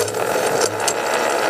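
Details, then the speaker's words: Murray lawn tractor transmission, bought new about two years ago, binding in third gear: turning it over gives a dry uneven rattling grind inside the case; belt ruled out, something broke free inside, possibly locked up. "I can hear it grinding. Oh. Locked up?"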